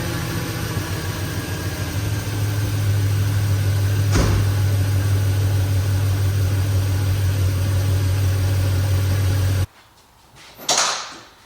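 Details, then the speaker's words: 1977 Ford F-150 with LS engine swap and standalone wiring harness, first start: deep steady V8 idle with one brief stumble early on, then settles smooth and even; normal idle. "foreign would you look at that it fired right up a little bit of stumble thought maybe it was gonna die but just turned right on"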